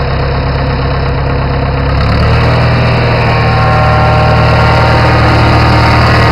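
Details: Farmall 450 tractor, revved up from idle: steady heavy pounding beat under the exhaust; owner says it needs a rebuild; engine knock.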